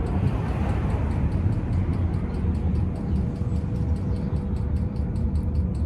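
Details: 5 kW Chinese diesel heater with new ultra-quiet fuel pump at full speed: soft even ticking about five times a second over low rumble, much quieter and less metallic; normal fuel pump ticking.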